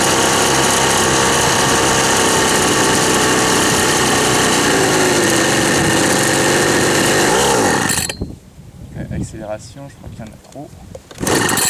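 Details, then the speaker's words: Old Ryobi RSV 3100e two-stroke leaf blower, both carb mixture screws seated then backed out two turns: steady high buzz at one speed eight seconds, then cuts out; flat and weak, owner thinks too much fuel, blows almost nothing. "poquet desmur tourne pas ce qu'on a soufflé là on a rien"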